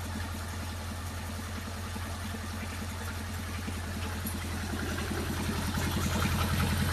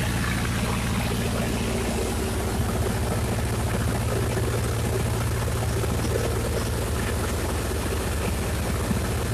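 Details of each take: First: Miller Big 20 welder engine under repair, new spark plugs and points fitted: steady, even low thrum at idle with no misses or knocks, though idle is way too high (spec 1200 rpm, 1800 when welding); runs normally otherwise. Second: Miller Big 20 welder engine just fired up: fast, steady drone with no hunting, sounding well above its specified 1200 rpm idle (1800 rpm when welding); idle speed set too high, later corrected to proper rpm.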